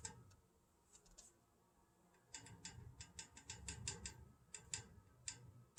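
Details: Old house plumbing: faint, sharp metallic taps irregularly about once a second, appearing randomly, mostly early morning; caused by a faulty pressure reducing valve, unchanged by a thermal expansion tank, gone after replacing the valve.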